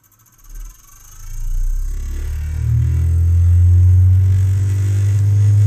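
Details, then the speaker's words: Brüel & Kjær WA 0155 balancing demo unit, which has no overspeed protection, drawing 70 W: a deep hum climbs over two seconds into a heavy throbbing drone. The motor is overspeeding with its rotor badly out of balance from the balancing screws. "it's going uh that is not so good I've probably gotta gotta remove the screws because it's not in balance at all"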